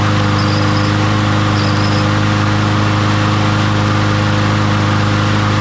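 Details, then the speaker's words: Troy-Bilt (MTD) push mower after fitting a new carburetor and fresh fuel: the single-cylinder holds a steady, even beat with no misses or surging, normal running. "so that one's uh good to go nothing else going on there needed a new carburetor"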